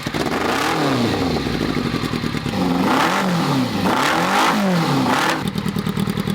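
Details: Unfinished buggy with a chopped, extended rear frame carrying a 600cc motorcycle engine, flames from exhaust: rasping engine blipped up and down, firing uneven and lumpy between blips; running lumpy, cause not yet clear.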